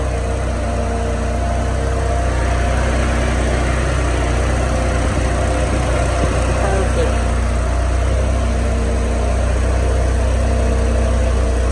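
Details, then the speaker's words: Starquest at idle after upgrading to aftermarket electric radiator fans and rewiring the thermostatic switch: steady rushing fan hum over an even idle, no rattle or wobble; all fans now come on, running normally. "so now with just switching the wire from this one to this one all of the fans come on"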